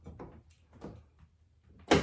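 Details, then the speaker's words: 1995 Nissan D21 manual door lock, cleaned and lubricated after it was sticking and acting up: a few soft clicks, then a firm thunk as the latch throws cleanly while locking and unlocking. The lock now works normally. "So I can lock it and I can open it. Lock it, open. lock it, go to school, come back, and it's good."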